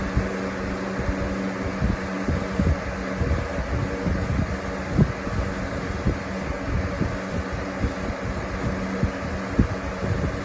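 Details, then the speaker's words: New Lasko box fan (2021-22 USA/Freedom edition) on high speed, slightly out of balance: uneven soft thumping and scraping over the steady hum; owner unsure whether the bearings need to break in or something, maybe glue, rubs behind the hub. "you can totally hear that rubbing sound i don't know if that's just bearings need to break in or if there's something uh rubbing in the backside of the hub"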